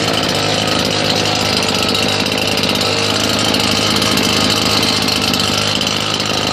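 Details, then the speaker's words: Husqvarna 580BTS backpack blower after repairing throttle-assembly kill switch wires, test run: loud steady two-stroke roar with airflow hiss, no surging or sputter; previously would not cut off, now fixed. "that's it it wasn't cutting off at first nothing at all so that's it's fixed"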